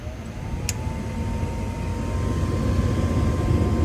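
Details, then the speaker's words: Gas furnace during a tune-up, called for heat at the control board. The inducer motor starts with a low hum that builds and settles smoothly, and the hot surface igniter comes on: a normal inducer start-up. "motor kicks on, hot surface igniter kicks on."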